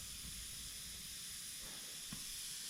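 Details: Custom diesel-swapped Power Wheels left sitting with engine off to bleed air after temperature shot from 100 to 250 in one pass; steady soft steam hiss from the overheated cooling system. Owner suspects an air bubble, a water pump that won't prime, and poor pipes needing radiator hose.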